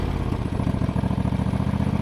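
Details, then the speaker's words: John Deere GT245 twin-cylinder mower at full throttle, running rich and misfiring: low, lumpy, uneven engine note, straining and losing power, getting worse; runs better at low speed; owner suspects a spark issue or bad ignition coil. "But she ain't happy. She's in a real bad way now. That's all I got pegged out. It just keeps getting worse."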